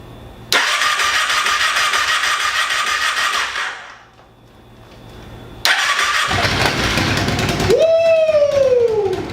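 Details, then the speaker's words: ATV quad after crash repair, first start in over six months after fluids, tune-up and new wheel, on choke: a few seconds of cranking, a pause, then fires and holds a fast, steady idle; normal cold start. "she starts alright we're gonna crack the garage start up hopefully it stays started"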